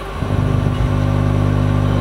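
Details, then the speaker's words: Audio amplifier with speakers: steady low hum with buzzy overtones when the ground wire from the tone control is tied to the input ground; ground loop hum. "Disini di bagian belakang juga ada kabel ground yang sudah saya pasang tadi ke yang menuju ke bagian tunkontrol kalau saya temukan kebagian haglund input maka dia juga menimbulkan suara dengungan itu"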